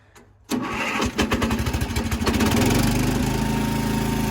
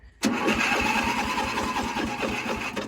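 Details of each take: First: 55-year-old Montgomery Ward lawn tractor single-cylinder engine, started on a marine battery charger after an earlier start with choke stalled when the clutch was released, now without choke: short crank, catches quickly, steady even putter with no misfires; normal start and idle. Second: 55-year-old Montgomery Ward lawn tractor, on full choke, battery charged with a 12-volt marine charger: labored cranking at about five thumps a second that slows toward the end; weak battery, though it then starts and runs.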